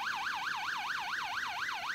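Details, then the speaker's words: 6A/12860 stall warning tone generator, early 1970s, possibly from Avro Shackleton prototype WL745, bench-tested after teardown: loud warbling tone sweeping up and down about four times a second, clean and steady; stall warner working properly. "Actuellement, la situation est normale. L'angle d'attaque est inférieur à la condition de décrochage. Alors augmentons l'angle d'attaque."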